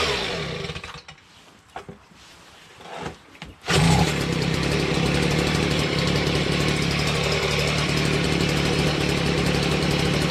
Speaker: finals pretty well i adjusted a little bit but i'm gonna leave well enough alone